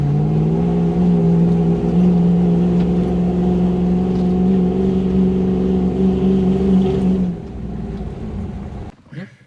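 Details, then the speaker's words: Toyota LN106 Hilux with 1UZ V8 swap and automatic, after fixing air leaks and lean fuel-supply issues, driving: steady V8 drone under load, no stumbles or spluttering, then eases off; repair successful. "definitely think that's been successful grows much nicer no spluttering way better"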